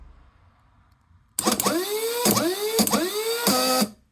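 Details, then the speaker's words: Rover gas turbine Rotax actuator motor after rebuild, running counterclockwise: sharp click, quick rising whir, clean click, the correct expected noise; normal actuator operation. "Yeah, so that's going counterclock as you look at it, and it's doing the right noise. That click, then the click. That's what I remember them doing."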